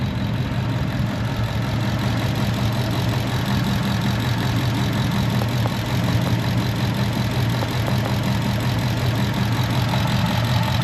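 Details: 2015 Ford Mustang with a P0308 misfire not cleared by new plugs: irregular, loping idle with missed exhaust pulses. Injector signal checked with a noid light and oscilloscope, and signal appeared lost. Cylinder 8 misfire.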